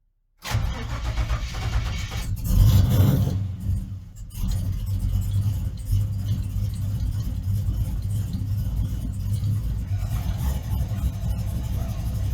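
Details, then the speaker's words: GM truck engine with Fitech loaded intake manifold, Fitech injectors swapped for Deatschwerks and tuned with HP Tuners, started at -2 and snowing: catches quickly and settles into a steady, even idle with no stumble or hunting; starts and idles well. "So, obviously, we're not going to drive the truck today, but I am going to start it to show you that it does start well now. It does idle well once it kind of gets the temperature."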